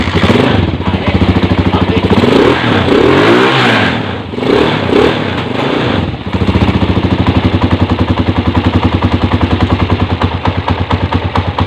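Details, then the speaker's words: Honda 155 scooter, previously noisy, after installing new camshaft, all covers closed: a few throttle blips settle into fast even idle putter with no ticking or clatter; engine runs very smooth. "mga pre, ito na yung kanyang andar at mapapansin nyo, napakapino."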